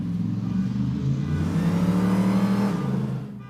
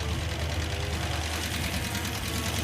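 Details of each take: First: Hemi V8 Gremlin at full throttle on the street after a voltage fix for a rev-limiting problem: pulls hard, pitch climbing smoothly with no stutter or cut-out, then fades; rev limiter cured, loud enough to set off a car alarm. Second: Hemi-swapped Gremlin V8 idling, engine previously running hot: loud fast sharp metallic valvetrain ticking that grows louder; suspected collapsed hydraulic roller lifter or loose rocker arm, not confirmed, listened at valve covers.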